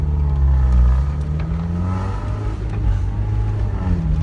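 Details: Miata on the road after a fault where revs shot to 5,000 and dropped to zero under braking: engine note rises and settles smoothly, holding steady revs with the car as the brakes are applied; running normally.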